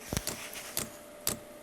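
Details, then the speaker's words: 12V heater with a 24V dosing pump bodged to work on it, just after self-check: sharp clean ticks about twice a second, steady in a quiet room before it fires; dosing pump working normally. "well the pump the pump is now bumping you can hear the pump pumping"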